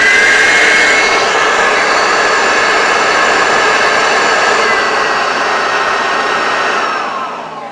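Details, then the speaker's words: Hoover Turbopower Freedom U2262 vacuum cleaner on first power-up after refurbishment and motor reinstall; high steady whine with slightly uneven coarse edge before winding down, owner says not a hundred percent and needs time to wear in; rough motor sound. "now I know it doesn't sound a hundred percent but we must give it time for it to wear in"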